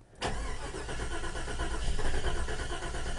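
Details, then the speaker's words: 1989 Jeep Grand Wagoneer V8 cold start at 50°F, exhaust manifold leak: catches and settles into an uneven, galloping idle, flooded, then a dead miss; owner blames a rear cylinder spark plug, not confirmed. "Hear that galloping? Not now. Here's got a dead miss now."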